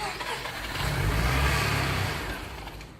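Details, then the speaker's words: Freshly rebuilt Mazda 13BT rotary in an FC build, first official start with good oil pressure: fires and surges up, then revs sag away instead of settling, not holding a steady idle. "Is it just not holding an idle?"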